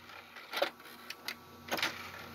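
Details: Xbox 360 Elite that had a jammed disc tray, after a no-tools temporary fix: short whirring, clicking bursts of the tray motor running through its travel. The tray is now opening normally.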